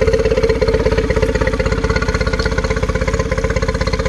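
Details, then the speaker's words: 2013 Yamaha 9.9 four-stroke outboard idling on garden-hose flush: steady, even putter, firing pulses evenly spaced, no misses or stumbles; possibly a smidge fast but judged perfect, 800 rpm measured versus 800 spec. "yep that's perfect could be a smidge fast i don't think so i think it's just perfect"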